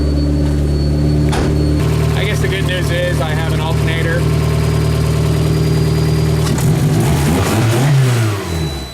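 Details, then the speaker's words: Car after fitting a used replacement alternator, engine revving then idling; a thin high whine persists, so the alternator wasn't the cause, source still unknown; charcoal canister is the next suspect. "I really wish I knew where that noise was coming from it is really annoying"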